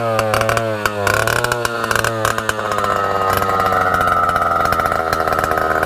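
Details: Solo 626 (Solo 60126) 1960s 70cc two-stroke chainsaw, revived after sitting long: crisp, steady buzz that climbs slightly in pitch and holds even without stumbling; runs very well, before fuel system and carburetor clean-out.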